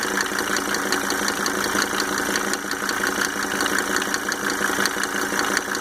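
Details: Mercedes 300D W124 2.5-liter diesel, just fitted with five newly rebuilt injectors with Monarch nozzles: steady idle with a quick, slightly uneven ticking on top of the clatter; owner can't determine the tick's cause.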